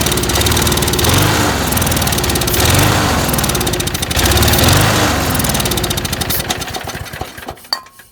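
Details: Lawn mower that starts then stalls unless primed; fuel seen dripping from the jet: fires and runs roughly with an uneven surging beat, then dies within seconds. Fuel starvation traced to clogged channel holes in the float bowl bottom bolt.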